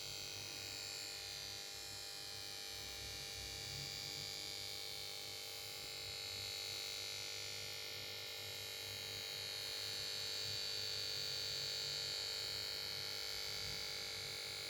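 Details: Samsung PS42A410C1XBT plasma TV won't start: after standby and start-up melody, only a steady high-pitched whine with faint fast pulsing buzz from the power board.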